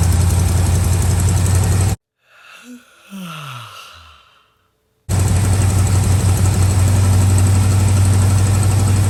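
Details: Old truck V8 just started cold on choke: deep, steady low rumble with even pulse about four per second; runs and drives, no blue smoke on startup. Normal cold idle.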